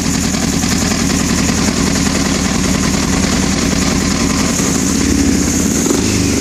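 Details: 1996 CBR900RR that won't start: the starter churns the engine over steadily at about three and a half beats a second, but it never catches and runs. Crank, no start.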